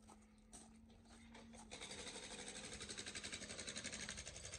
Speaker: his massive steel end, which you can hear the knock, knock, knocking.